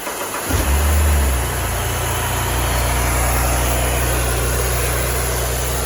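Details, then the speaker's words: 2009 BMW 328i xDrive E90 started after replacing a broken inner DISA valve to cure misfires, with codes cleared. It catches cleanly into an even, steady idle with no shake or rumble, and a fan whooshes in the background. "Okay, guys, codes are clear. No shake, no rumble."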